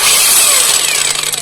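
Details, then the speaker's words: Kamolee cordless brushless battery angle grinder running: very harsh, gritty rasping whir over the motor whine that stays rough even after greasing the gears; loose bevel gear mesh. "sangat kasar sekali meskipun e di bagian gearnya ini sudah kita kasih grais ataupun gemuk tetap aja ada suara kasar jadi kalau saya bilang sangat kasar sekali ya tidak enak didengar di telinga"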